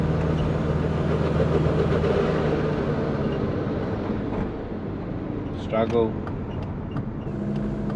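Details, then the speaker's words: Twin-turbo Subaru Forester with GT35 turbo, in second gear on a hill it always struggles with: engine labours low and flat with no rising turbo whistle, boost slow to build; owner suspects overly long piping. "so i just had some issues there last episode i drove it with marley wondering why the boost is coming on pretty slow with the gt35 let's try this hill that it always struggles with still does it"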